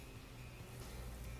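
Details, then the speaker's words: Maytag MBF2258XEW6 refrigerator compressor after replacing the faulty round capacitor and relay (had clicked and cooled only intermittently, food thawing): now a quiet, steady low hum with no clicking or cutting out; running normally. "and you can hear the compressor running."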